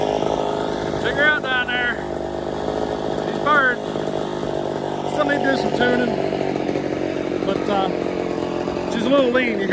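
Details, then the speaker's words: Ported Poulan 245A chainsaw with bow bar, first start: a high, buzzy two-stroke drone wavers and hunts at idle. It is slightly lean on idle/the low jet and may starve and shut off. "starving just a touch that's all right though there she is haha perfect sign of being a little lean hat idle or on the low jet eventually it'll starve and shut off"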